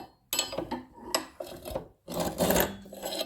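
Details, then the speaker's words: Cylinder mower being backlapped to sharpen dull blades, reel turned backward against the sole plate: uneven scratchy rasp rising and fading, normal grinding of backlap sharpening. "And we do that several times until we get a nice fluid movement, which I'm just starting off now. You can hear it actually grinding against the whole plate."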